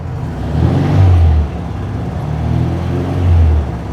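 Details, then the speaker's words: 1966 VW Type 3 flat-four after installing new single-port dual 34 carbs, valves checked; deep steady rumble with gentle rise and fall in revs, less ticking than before though nothing adjusted for it. Normal idle. "Doesn't sound as ticky, so I don't know what the hell I fixed."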